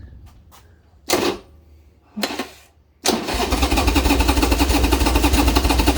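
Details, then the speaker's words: Old Harley Sportster after reassembly, choke needed to run: two short starter bursts then steady cranking about three pulses a second without catching; battery thought dead, carb issues suspected. "what the no it doesn't want to start great yeah battery dead"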